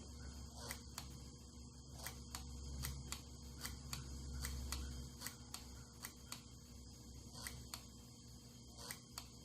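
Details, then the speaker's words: 1982 Honda Urban Express with an electronic flasher and a test light wired in line with the left turn signal: sharp steady clicks at about three to four per second; the flasher cycles normally and speeds up under more load. "Hopefully you can hear the flasher flash. When I put the light on it, it'll actually speed up because it's put more load on the flasher."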